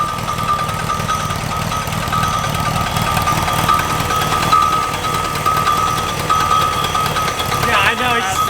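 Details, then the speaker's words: Rebuilt VW Type 3 air-cooled flat-four, first start with fresh oil: busy even clatter at fast idle, no knocks or misses; runs smoothly, high idle from open vacuum port at back of carburetor. "the F dude that is a successful successful first start freaking awesome it sounds real good too so good yeah"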